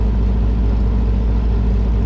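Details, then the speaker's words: Air-cooled VW flat-four in a Baja with a new Empi custom wiring harness and stock 1969 Beetle ignition switch, just fired up after wiring, at idle: steady even throb with no knocks or misses. Just over 12 volts, alternator charging, oil pressure light out. "fire it up see what happens oh and it's running just over 12 volts oil pressure went out alternators off alternators charging"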